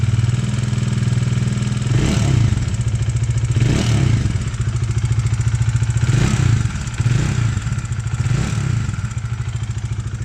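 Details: 2020 Bajaj Dominar 400 UG single cylinder at 12,000 km: uneven valve-train clatter over the steady beat, swelling with revs. Caused by cracked valve guides blamed on poor cylinder-head material; an exhaust valve later broke.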